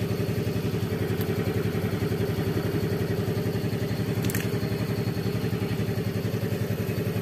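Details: Yamaha Fazzio scooter (made March 2022) running on a recharged battery at 12 V, charging about 13.8–14 V: steady, even low putter at a fast regular beat with no misses or knocks; normal running.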